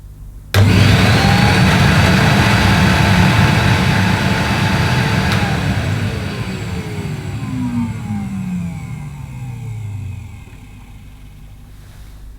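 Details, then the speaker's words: Vintage Hitachi CV160 bagless vacuum cleaner, probably late 1970s or early 1980s, first switch-on: sharp start into a steady, strong whir, smooth wind-down after switch-off, no grinding or rattle; normal motor. "it's got a nice nice sounding motor naturally doesn't I don't know what you could compare the sound of this to don't really sound like a Henry"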